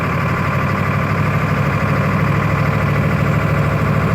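Low, uneven diesel idle with an irregular lumpy beat, roughly two to three pulses a second, that never settles; rough-running engine.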